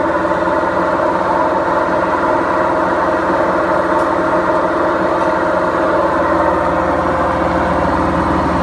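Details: BEKO washing machine, 7 years 8 months old, with bad bearings: a constant deep droning roar with a steady hum underneath throughout the drum run, typical of worn drum bearings.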